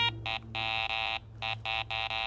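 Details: Garrett ACE 400 metal detector, 10 kHz, iron audio: string of short uneven beeps, last tone lower-pitched, low tone signalling an iron target such as a steel washer. Low tone iron target signal.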